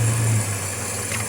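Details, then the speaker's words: Nissan C22 van after fix for noisy engine and warning lights, alternator off: low, even idle hum with no knocking or ticking; engine now quiet, warning light off. "Lang bunyi enjin pun dah senyap."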